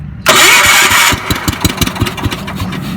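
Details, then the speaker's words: 1978 John Deere 312 lawn tractor saved from scrap, gas put in tank, choke not working: short loud crank, catches at once and settles to a steady, even putter. "Still running, so it must be pulling gas from the tank. I call it a victory."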